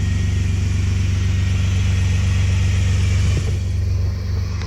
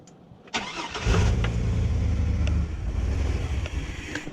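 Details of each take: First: Chevrolet Astro van with no-heat, engine-fault and coolant-leak issues (unresponsive thermostat, low coolant), after plugging its sensors back in: a deep, steady, even rumble with no misses or knocks. It runs normally. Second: Chevrolet Astro van with engine fault and low coolant, sensors unplugged during testing: engine catches and runs with a lumpy, uneven low beat that falters instead of settling; rough running until sensors are reconnected.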